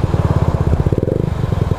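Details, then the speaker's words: Honda Ruckus scooter after a valve adjustment and tuning attempt: fast, even single-cylinder pulses at a high constant rev with no pull; something in the CVT isn't sliding, owner suspects the clutch side not separating from the belt. "I'm going to blow up it's not working something's not sliding something's not moving correctly"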